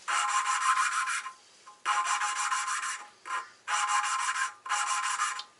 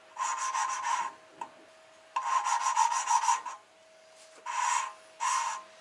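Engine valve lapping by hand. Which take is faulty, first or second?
first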